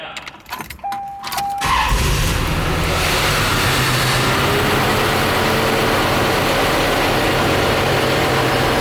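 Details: Corvette C4 V8, still misfiring, after reassembly with the radiator hose back on. Keys jingle and a chime sounds, then it cranks, catches and settles into a lumpy idle with a recurring stumble. Commenters suggest the Opti-Spark; cause unconfirmed.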